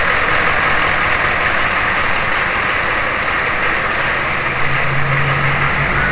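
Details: Humvee with swapped-in 6.5L turbo diesel and 4L80e 4-speed transmission, first start after fuel priming; settles into a steady, even idle with deep rumble and turbo hiss, running clean.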